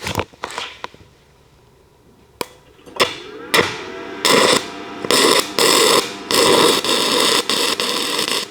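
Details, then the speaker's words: Arccaptain TIG 205 Pro stick welding 6010 rod at 90 amps: arc hiss runs about a second, cuts out, restrikes repeatedly; machine can't hold a 6010 arc, though it runs 6011. "It'll run for a second and then it kind of cuts out and run for a second, cuts out."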